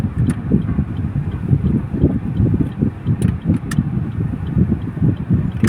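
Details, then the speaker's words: Suzuki Celerio 3-cylinder, driving on the road: ordinary road rumble and a little wind buffeting, no hum or drone building with speed; bearing no longer noisy. "Tipid pa sa gas. Suzuki Celerio 3 cylinder. Wala nang ingay yung bearing niya."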